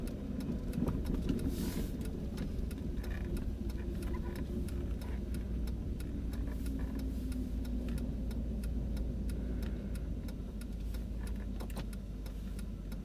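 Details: 2000 Jeep Grand Cherokee Limited (WJ) front-end clunk while driving: faint, irregular knocks over steady road rumble, only after 30+ miles; after sitting 5–10 minutes it is fine again for about 5 miles. Cause unclear.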